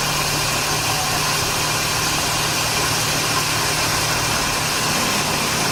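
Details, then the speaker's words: 2006 Scion xA at idle: thin high squeal over the engine from slipping alternator/power steering belts, charging voltage fluctuating and low, below 14.1–14.6 V; belts needed replacement, alternator not at fault. "I'll show you what I mean all right so I got the car engine on right when you hear the squeak you'll hear you'll see that the voltage will change a lot"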